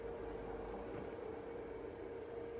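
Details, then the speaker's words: BMW electric water pump fitted to a Metro 6R4 replica on an Impreza base: a steady, mid-pitched whir with a faint watery hiss, louder once filled with coolant while the system gurgles. It may be the water making the noise rather than the pump. "Pump's making a bit more noise now, it's got some water"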